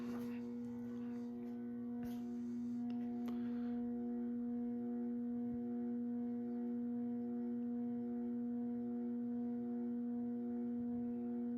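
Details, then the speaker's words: Early-1980s CEC-made Moss Heirloom Olympus 52-inch ceiling fan at about 55 RPM on likely factory trim setting: steady loud hum near 200 Hz with faint overtones; variable-speed control buzz, quieter at top speed, bearings good. "an hear, this fan definitely has a very pronounced variable speed buzz to it. Definitely one of the loudest fans in that aspect that I own. Right here, we're doing around 55 RPM."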